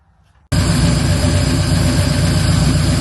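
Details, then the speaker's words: 1964 Ford Fairlane 347 stroker V8 restarted after fresh oil change and replacing a ticking lifter plus its neighbour: deep, steady idle with no lifter tick; roller rockers tick slightly, still quiet, may need adjustment. "There You Go Mama no more tick tick tick it's got those big uh roller rockers on it they've got a little bit of a tick to them but it's quiet"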